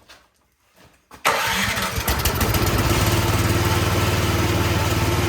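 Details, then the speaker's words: Troy-Bilt snowblower that would not start, after carburetor cleaning: primed, key in, engine catches quickly and settles into a steady, even small-engine run with no misses or knocks; normal start and idle. "okay that one just needed the carburetor cleaned it runs great now and it's ready to plow some snow"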